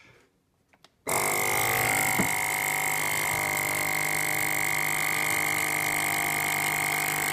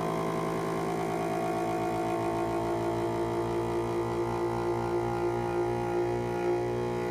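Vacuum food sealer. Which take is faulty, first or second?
first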